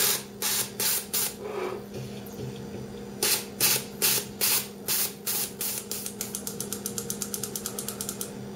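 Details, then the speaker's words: Jeep XJ fuel injector (703 swap) on the bench during cleaning, pressurized with cleaner can and pulsed by a switch: crisp clicks, then a fast even train; injector opening and closing properly. "I'm gonna hold the button right here you can hear it clicking"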